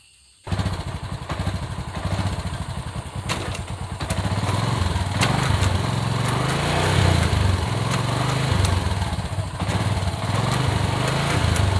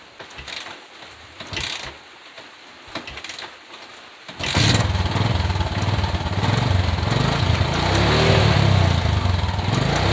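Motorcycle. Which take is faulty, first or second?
first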